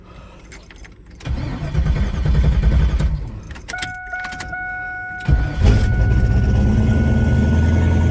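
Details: Drag car after replacing a failed pump in its Alloyworks twin-pump surge tank, 40 psi fuel pressure and no leaks: brief pump hum, then the engine fires into a steady, deep, lumpy idle with no odd knocks; runs healthy.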